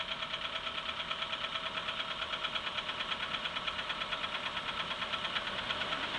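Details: A sharp, light tick repeats steadily, close to two a second, over a thin idle. Engine knock, cause not pinned down.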